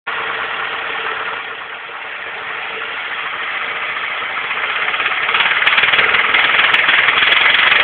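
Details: Nissan SR20DE engine revving: quick, fairly even tapping about four a second starting around 2000 rpm, stopping and returning on each rev; knock when revving, cause unknown.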